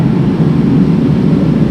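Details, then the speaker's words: 1977 Pontiac Trans Am AC blower on high after refurbished AC clutch harness rewiring; blower running continuously is normal for this era: even, steady rushing air with no rattle, scrape or wobble. "And then you come over here to normal and you can switch the switch to high, medium, medium, low, and then low. So everything seems to be working like it's supposed to."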